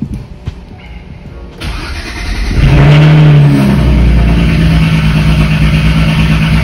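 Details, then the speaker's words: BMW 335is just after an N54 engine swap and coding: starter whirr, then the six catches and settles into a steady, even idle with no stumbles or misfires. "so hopefully everything should be running smoothly no rough island or misfires or anything like that so let's see how this goes"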